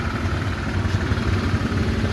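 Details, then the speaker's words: Honda Click 150 idling with a rapid dull knock from the middle of the engine, cylinder head quiet; diagnosed as connecting rod, fix is replacing the connecting rod. "Sila mga Kawarski, pagka ganitong problema, wala tayong magagawa dyan kundi palitan ng connecting rod."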